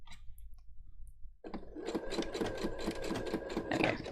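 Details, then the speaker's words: Sewing machine while stitching: a sharp click on each stitch, just before the needle pierces the fabric, following the needle's rhythm. Not a blunt needle; the owner thinks the timing is a little out, unconfirmed. "it's not the needle piercing through the fabric it's it's a click just before it does that so it's not a blunt needle i think the timing is a little out"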